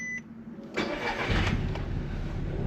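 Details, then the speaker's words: Petrol Audi TT project car that previously wouldn't start: it cranks and catches into a super shaky, uneven idle with an irregular stumble. A misfire of unknown cause; the owner had wondered whether the injectors were bad. "So it is running and it is idling, but it's super shaky, and there is definitely some sort of misfire there, but it's running, so that's the main thing."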